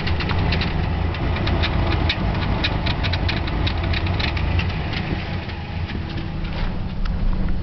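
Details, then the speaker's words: 1997 Ford Ranger with hard starting, backfire and a choked, lumpy rough idle with ticking, nearly stalling. Owner unsure whether it is air, fuel or spark, and suspects a vacuum leak or blocked muffler; coil wires mismatched. "truck feels like it's going to stall I don't know anyways if anyone has any uh advice please do thanks"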